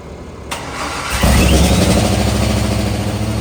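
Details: C6 Corvette V8 after a stuck-open injector was found and all injectors were replaced: brief cranking, then it catches cleanly and settles into a steady, even idle with no misses. Normal start and idle.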